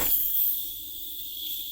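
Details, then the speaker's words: Rusted nitrous solenoid being rebuilt, purge test with bottle at 900 psi and 50 jet fitted: steady high-pitched hiss continuing after the purge shuts, slowly sealing afterward; nitrous solenoid leak. "that doesn't sound great. Well, alright, well off rip that's leaking."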